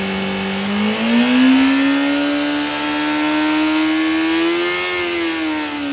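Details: 2005 Honda CBR600RR: a clear whirring whine with a hissy edge rises and falls with the revs over the idle; whirring noise, source unknown.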